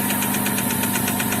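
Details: Chevrolet Epica petrol engine idling after about 1.5–2 km of driving, oil near minimum and valve cover slightly sweating: quick, even knock about eight taps a second over a steady hum; mechanic suspects the engine is failing.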